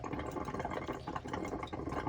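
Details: Elddis Autoquest 130 motorhome, hot side of tap drawing water through to fill the boiler before lighting it: quiet irregular gurgling and spluttering over soft pump hum as air coughs out; normal.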